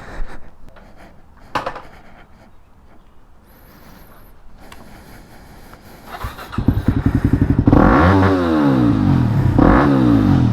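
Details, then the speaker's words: Yamaha WR250X supermoto on first test ride after fixing a kinked fuel line that caused cutting out under full throttle: the single fires up and revs cleanly, pulling without stumbling or cutting out; runs as it should. "so so so much better this is how it was supposed to run"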